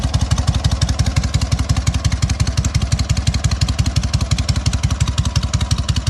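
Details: Freshly fully rebuilt SOKÓŁ 1000 motorcycle, only briefly pre-warmed, still being run in: big engine ticks over with a slow, deep, perfectly even thump about three beats a second, no clatter; normal running, healthy.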